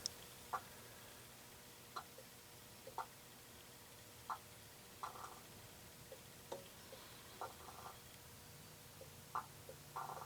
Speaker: fired it up shut it off and now you can sit here and hear the air gurgling out that I talk about when these things get air locked